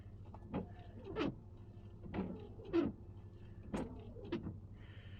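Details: Worn windshield wipers run on dry glass before trying a blade-restoring tool: each slow sweep, about once a second, brings stuttering judder and squeak.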